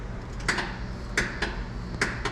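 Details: 2026 Can-Am Defender HD11 with a fully charged battery, pressing start: sharp paired clicks about two a second with no cranking; faulty starter relay.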